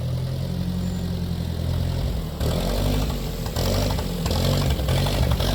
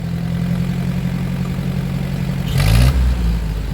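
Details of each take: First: 1947 Ford 8N tractor, just started on jumper cable, out of gear: low uneven lumpy idle with irregular beat nearly stalling, then steadying as carb is adjusted with a screwdriver; rough idle. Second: 1947 Ford 8N tractor after adjustment, which cured earlier choking and coughing on revving: low steady idle rising cleanly when revved, no cough or stumble; normal acceleration.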